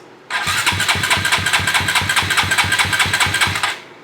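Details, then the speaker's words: Koso 170cc big bore kit engine (Competition Werkes GP full exhaust, aRacer RCmini ECU, new Kitaco catch can) on first start attempt with a borrowed featherweight battery: starter cranks at about five even compression pulses per second for three seconds but never fires; fuel pump suspected unprimed. "I said the fuel pump may not be primed so we're gonna do this a couple times on and off"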